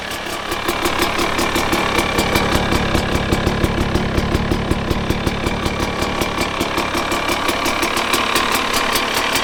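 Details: 2019 KTM 250SX two-stroke with a Lectron Billetron 38 Pro carb, idling in the driveway; crisp, even popping at a steady idle without hunting. Idle is healthy, though the owner suspects it runs lean and detonates when ridden.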